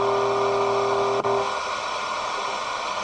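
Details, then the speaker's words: Motorola BT16BN tube AM/FM radio tuned to about 88 MHz with a faint station: wiggling the FM tuning slug makes the steady station tones cut out to hiss. The suspected cause is dirty contact fingers in the tuner or possibly a circuit trace. "you can just barely hear it but watch what happens with when I wiggle this this tuning slug"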